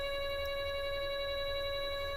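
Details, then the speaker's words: NEMA 24 5 A stepper on a Stepperonline CL57Y closed-loop driver with Centroid Acorn, at a typical 900 in/min feed on a wooden workbench acting as a resonator: steady even high-pitched singing tone, no roughness or clicking; normal running. "so there's the motor on a wooden work bench that's that's working like a resonator so you can hear what that sounds like"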